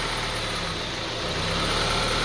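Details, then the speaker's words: 2002 Honda CR-V 2.4L idling very roughly, its low hum wavering and surging up and down, also stalling. "As you see, the on idling, very rough idling."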